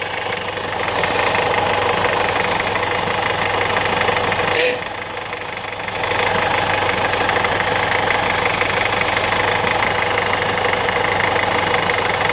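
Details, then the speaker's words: Alfa Romeo 916 GTV 2.0 Twin Spark Phase 1, under about 1,500 miles after a Gates belt kit: uneven knocking about three times a second at idle that sounds like bottom-end failure, but the balance shaft belt is tearing apart. "a bloody noise in the engine sounds like bottom and it's faulty but actually the balance of the belt is stealing in bits I'll show you what noise it does sounds scary"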